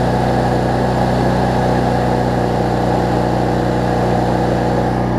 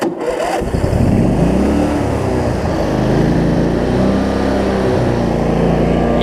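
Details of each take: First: Cub Cadet zero-turn mower, Briggs V-twin, after governor, rich-running, wiring and charging fixes: after a slight surge on starting, a steady, even drone holding proper rpm, idling down well; normal governed speed. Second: Cub Cadet zero-turn mower, Briggs V-twin, after fixes for wiring, charging, governor and rich running: the engine catches and its speed wavers briefly at startup before settling at proper rpm, then idles down well.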